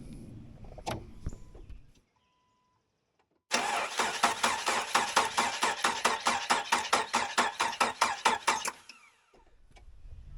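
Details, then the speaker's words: 2000 Jeep Wrangler 2.5L four-cylinder after cylinder head replacement (burnt valve), cranked with fuel pump relay disconnected and plug wires off: even starter cranking about two compression beats a second, no knocks or grinding; normal cranking. "I didn't hear anything when I was cranking it over so uh nothing major it sounds like sounds like a success"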